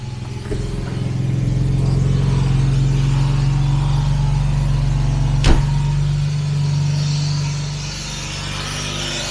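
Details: 1967 Jaguar Mark 2 straight-six, fired up after fuel system cleaning, charging at 13.4–13.5 V: brief catch then a steady, even low burble; normal idle.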